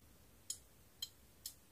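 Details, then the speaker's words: Clothes iron on the bench during repair, with its thermostat set to 200: three crisp ticks as the bimetal contact snaps open and closed, working normally, though the contacts may need cleaning. "Përveç kësaj, ne po shikojmë termostatin tonë, është 200, por ne e kemi zënë pozicionin e tij, shiko, nxjerr një tingull tik-tak, kështu që kontakti hapet dhe mbyllet, unë e shikoj me sy"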